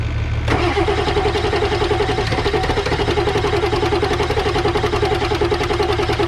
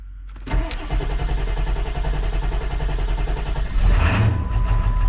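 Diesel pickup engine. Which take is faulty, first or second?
first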